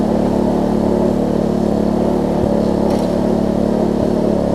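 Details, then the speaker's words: Troy-Bilt Tuffy rear-tine tiller, reassembled from parts with a new fuel pump diaphragm replacing a cracked, dry-rotted one; a worn cable is noted. The small single-cylinder engine holds a steady speed with even firing and no misses or knocks: normal running. "apart from that this thing runs good feels good and all that stuff so let me crank it up force"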